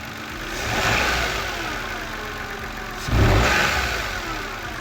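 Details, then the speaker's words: Vehicle on lift, wheels raised, engine revved twice with the drive belt removed: smooth rise and fall with no chirp or screech, confirming the chirping noise when accelerating came from the belt. "You can see no more noise. Definitely a belt."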